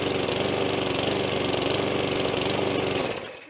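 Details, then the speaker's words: New shed-bought McAllister walk-behind lawn mower, first start out of the box, primed, started first pull. Rapid single-cylinder beat whose speed wavers, then cuts out; engine hunting at idle when it shouldn't. "It actually started first pull, pretty impressive. but the engine's actually hunting and it shouldn't be doing that."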